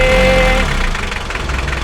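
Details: Mitsubishi L300 diesel, hard starting and white smoke, after timing belt and injection pump timing adjustment: steady, even diesel clatter at settled idle, no hunting or misfire, faint whistle fading early; idling normally.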